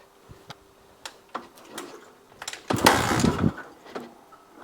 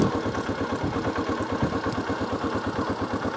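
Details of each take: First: 1982 Honda XL250R single, cold, on a little choke, after oil-leak repair and a new battery: scattered ticks, then two long cranking bursts with ragged firing that never catches; hard cold start. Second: 1982 Honda XL250R single after oil-leak repair and a new battery: even thump ticking over steadily with no misses or knocks; normal healthy idle, no more oil leaks.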